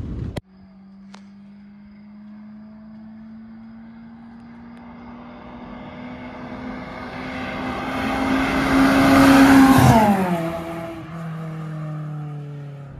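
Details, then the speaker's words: Honda Civic GL (EC9) with dual carburetors and a newly fitted straight-through exhaust: a loud open drone climbing in pitch as revs build, peaking sharply, then dropping away. Normal straight-pipe note. "muito mais barulho carros muito melhor"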